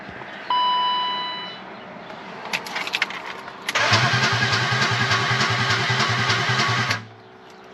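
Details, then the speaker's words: BMW E34 Touring with swapped-in M50 engine, second start attempt after adding fuel: cranks, catches and runs with an uneven, pulsing beat for a few seconds; sounds off to the owner, cause unclear; abnormal running. "I just don't like the way that sound, guys."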